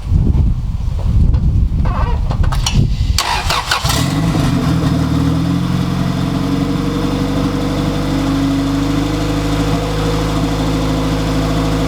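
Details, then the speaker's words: Honda EF Civic B-series turbo build, first start with wastegate fitted, run only seconds with no coolant or turbo oil feed; cranks briefly, catches, settles to steady even idle with smooth low drone; some water, likely condensation, from exhaust. Normal idle. "And it sounds so good."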